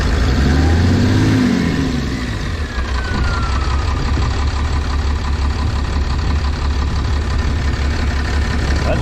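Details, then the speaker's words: Dodge 6.7 Cummins with 859k miles on its factory injectors, warm at 177° coolant: a deep, steady diesel idle with a rough, uneven knock about three per second underneath. The owner suspects bad injectors, which is not confirmed. "we're at 177 it's not going to get any higher but man I hear some knocking in there"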